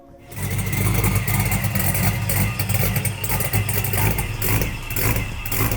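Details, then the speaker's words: Engine start-up after sitting a long while, O2 sensors to be swapped for missing reading: engine catches quickly and settles into smooth, deep, even run with light blips, no knocks or misses; normal running. "but we were able to get a start up on this lovely motor. And might I say, beautiful, beautiful."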